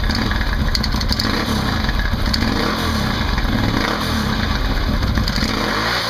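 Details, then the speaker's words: Can-Am Outlander 800 ATV just after installing a Highlifter 3G belt made by Dayco: even engine run with a steady rev and light clutch whir, nothing slipping or chattering; belt tight and pulling well, healthy drive. "And there you have it. Fairly simple install. Belt's nice and tight. Seems to be pulling well."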